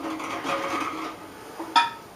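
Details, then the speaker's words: Pressure-canned jars of chicken stock just out of the canner: soft hiss, then a sharp bright metallic ping as a lid seals down; normal lid sealing. "ok now the pinging you're hearing is the jars sealing themselves down"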